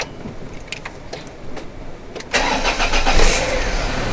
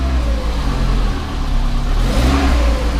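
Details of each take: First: 1994 Volvo 480 2.0 after exhaust refit with sealing paste, started to warm the exhaust: brief crank, catches cleanly into steady, even idle with no misfire; normal start, exhaust gas still felt leaking at an untightened joint. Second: 1994 Volvo 480 2.0 litre, cold start after sitting, newly fitted replacement exhaust downpipe: deep rumble rising with revs plus a chuffing blow under throttle; exhaust leak at the rear coupler joint.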